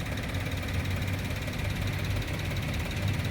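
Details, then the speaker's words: 2015 Karimun Wagon GS Matic (AGS), about 90,000–95,000 km, engine said normal; steady, even low idle hum with no ticking, knocking or misses, small three-cylinder running smoothly and healthy, normal idle. "Mesinnya normal teman-teman. Ini kita nyalakan ya."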